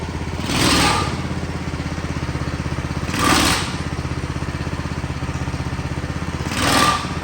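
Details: Big block mini bike at first start before test ride: even single-cylinder idle, engine healthy; scraping swish every few seconds is the engine overpowering the e-brake and spinning the chain, not an engine rattle.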